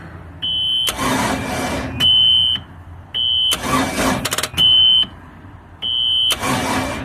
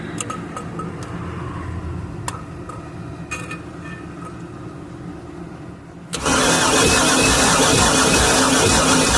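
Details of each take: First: Long-sitting ski boat with a center-bolt 350 Chevy, mechanical fuel pump and water in its old, bad fuel; repeated one-second cranking bursts with a shrill beep between tries, never catching. Cranks, no start; compression test planned. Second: Boat's center-bolt Chevy 350, sat unknown time, plugs out during compression test; steady even starter cranking with no stumbles, gauge showing about 180–200 psi, good compression.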